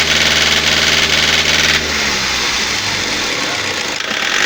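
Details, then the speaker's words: Toyota 2KD D-4D diesel, over 700,000 km, on an OBD injector cut-out test; steady idle clatter whose note roughens and drops as one injector is cut; injectors respond, so the engine is worn and needs a rebuild, nothing else. "አሁን በቃ ይሄ ወደ ሞተር እድሳት ነው የሚሄደው። ሌላ ምንም አይፈልግም።"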